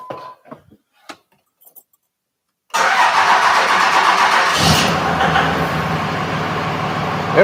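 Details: 5.9 Cummins diesel, first start after engine installation with the radiator hose not yet fitted: the starter spins and it catches at once, settling into an even, steady run, a normal start.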